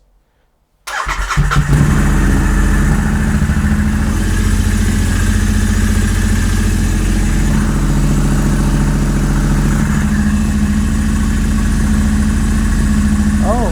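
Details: Royal Enfield Interceptor 650 in neutral after wiring custom Remmoto 2.0 switchgear: engine catches at once and settles into a steady, even idle of about three and a half beats per second; clean, healthy start, kill switch works.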